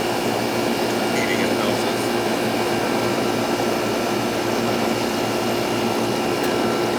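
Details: Older central AC outdoor unit after bad capacitor was replaced: constant fan rush over steady compressor hum, no surging, clicking or buzzing; running normally.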